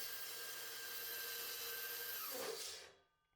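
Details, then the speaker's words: Evolution 15-inch cold cut saw with aluminum blade cutting solid aluminum round: screeching cut, runs smoother with harder pressure but bogs down, then pitch sags as motor stalls from overload, blade jammed in cut, won't restart. "if I press harder it runs smoother but you can really hear it bogging down"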